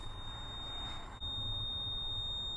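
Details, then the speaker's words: Large tow truck with a totally dead battery, key on before jump-starting: steady high warning tone with a dip partway, no cranking or engine sound; key-on alert buzzer stops when the key is turned off. "So let's turn that off. All those annoying sounds are gone."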